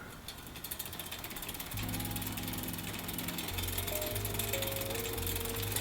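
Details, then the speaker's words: Shimano XT Shadow Plus rear derailleur on smallest cog after loosening the high limit screw: pedalled drivetrain runs as a smooth, even, much quieter whir without popping or crackling. "so that definitely sounds better much quieter than the time before so I think we're in a pretty good spot right there"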